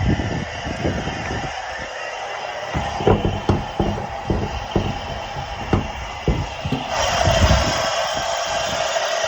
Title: 2011 honda cr-z grinding noise when stationary, and burning smell